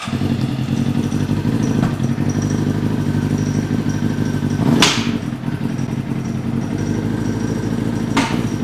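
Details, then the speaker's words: Honda CBR motorcycle with a hole in the engine case: rough running with heavy metallic clanks and thuds over the idle; a broken connecting rod knocking inside. "Ooh. That don't sound good at all. That might be a problem there."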